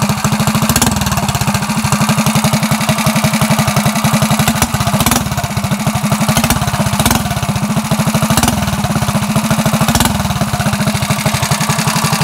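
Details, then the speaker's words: Coleman CT100U minibike with header upgrade, new aftermarket muffler and ported jet: small single-cylinder thumping at a steady fast beat, subdued even exhaust note; substantially quieter than before, running normally. "I wrote it around the neighborhood it is substantially a lot quieter it's not so annoying like it was before"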